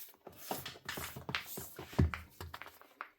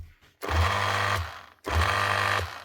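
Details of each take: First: Makita HR2450 SDS drill after fitting a new armature (517375-5) and brushes to replace a burnt-out motor: clicks while handled, then a smooth, steady, high-pitched motor whir with no grinding; healthy motor. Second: Makita HR2450 SDS drill before armature replacement: two short runs with a strained, rough motor drone and a crackling sizzle; burnt-out armature, replaced with part 517375-5.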